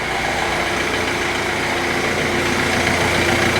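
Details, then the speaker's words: Stolen-recovered Kia Rio bought at auction with no keys, running on a newly coded key on a freezing day: smooth, even idle with a steady hum and no knocks, ticks or stumbles; runs really well. "yeah it runs it runs really good really good well that's excellent that is excellent what a nice little car"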